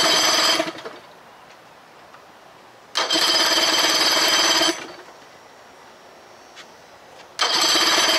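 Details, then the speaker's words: 2000 Johnson 25 hp outboard in a test bucket, fitted with used eBay ignition plate and charge coil of unknown condition: repeated cranking bursts with pauses, almost fires but never runs; spark and timing to be checked. Cranks but won't start. "well she almost fired up let me get the timing light make sure we got moreel everything spark"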